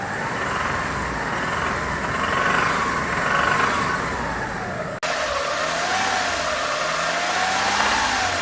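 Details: Hyundai Terracan 3.5 with a knock at 2000–3000 rpm that disappears when the gas feed to cylinder 4 is pinched: a loose, uneven knock about four times a second. A seized hydraulic lifter, rod bearing, wrist pin or piston is suspected.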